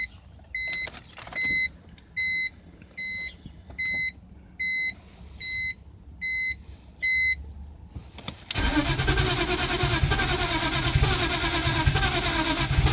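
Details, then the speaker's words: Car with wet spark plugs cleaned, fuel pressure at rail confirmed, relay checked: nine chimes, then starter churns steadily for seconds without firing; cranks no start, owner wonders about crankshaft position sensor. "I don't know now it I mean and it still sounds like it wants to crank every now and then give example"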